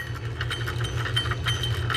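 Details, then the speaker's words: Old Penn 49 trolling reel, worn donor reel: spool turned slowly gives rapid scratchy chirps about five a second over a faint rough grind; the spool chirp is not unusual for a trolling reel, and the reel hasn't been fished in a long time. "it turns very slowly there's a little bit of a grind to it"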